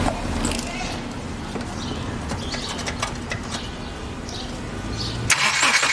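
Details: 2007 Subaru Forester after starter repair, retested: the engine turns over and catches quickly, then settles into an even, steady idle with no starter grinding or clicking. Normal start and idle.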